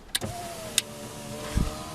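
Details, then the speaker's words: Holden VX Commodore driver's power window after repairing the intermittent window switch: a switch click, then a steady motor hum for about 1.5 s ending in a soft thud at the bottom stop; window works normally. "goes all the way down yeah so you hear the clicking straight up straight down straight up it'll be it slow but that's not the power we switch"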